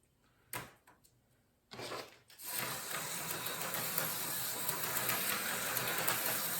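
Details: Rebuilt Lifelike slot car with new pickups, cleaned and oiled gear mesh and axles: after a few handling knocks the small motor settles into a steady, even high buzz at speed; running normally.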